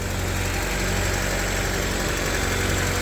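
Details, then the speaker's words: Honda Civic EF sedan after a snapped timing belt was repaired: steady idle with a light quick tick about four a second; owner first suspects valve adjustment, then thinks rocker arm tick; exact source unconfirmed. "Sounds a little ticky. Yeah, sounds like I could use another valve stem adjustment after a couple 100 miles. That doesn't sound like valve stems clicking at all. That sounds like rocker arm ticks."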